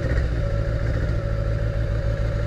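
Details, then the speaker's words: Abandoned 1980s Kawasaki GPz550 four-cylinder idling: blipping one carburetor alone gives a slightly lumpy, uneven beat, showing the carbs' throttle balance upset; all four together run smooth. "that's just giving one cylinder throttle you can hear it upset the balance and then if I do all four nice and smooth and this one no that one's not as obvious but yeah you can tell this one upsets the balance"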